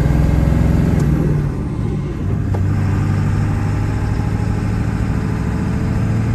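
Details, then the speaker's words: 2000 Ford F-350 dually 4x4, 7.3 Powerstroke diesel, six-speed manual, 71k miles, fully serviced, pulling uphill through all gears: deep, even rumble, no chirp, grinding or clutch shudder; engine and gearbox healthy. "we'll head up the hill here the 7-3 run as well as the six speed through all the gears and here for yourself how it doesn't chirp grind or have any issues at all"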